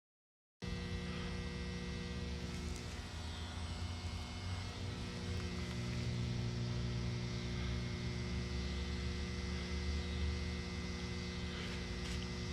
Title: Electric box in the woods making noise in my neighborhood In Grayslake Illinois